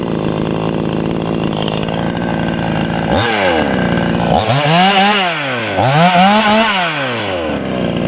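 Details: TOMITSU 5800-body chainsaw, sprocket version: even buzzing two-stroke idle, then three clean throttle blips rising and falling smoothly without bogging; normal running, responds well.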